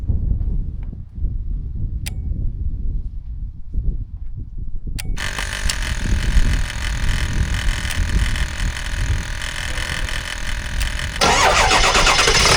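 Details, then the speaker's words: 7.3L diesel truck jump-started with an AVAPOW A58 4000A jump starter: quiet cranking, then it catches into a loud, steady diesel clatter; starts and runs normally. "all right as you can hear it's running it's very loud but it's running"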